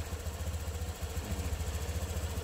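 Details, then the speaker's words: Honda Click V2 scooter, 112,000 odo, after full service with new water pump, new battery and rat-chewed wire fixed, check-engine light off: steady, quiet low putter, no knocks or rattles; normal idle. "Check natin. Start. Yun, oh. Yun, oh. Napakatahimik."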